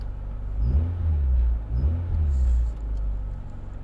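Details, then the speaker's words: 1989 Honda Prelude on a test drive after the intake valve lash was adjusted to factory spec to cure a noisy valve; belt squeal seemingly fixed too. Smooth, low engine drone rising and falling evenly with throttle, with no tapping or squeal. "they were a little bit out of adjustment it wasn't anything too crazy but now the car sounds great"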